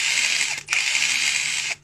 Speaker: 这个声音呢是从齿轮箱出来的，不是电机滑膛。如果电机扫膛的话，它声音不是这样的。